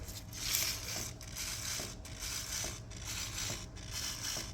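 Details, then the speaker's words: Club Car Precedent golf cart jacked up with a front wheel rocked by hand gives dry, gritty creaks and dull clunks from a worn front wheel bearing (part 6204-2RS), which is to be replaced. "there you can hear that clunking that is the wheel Berry"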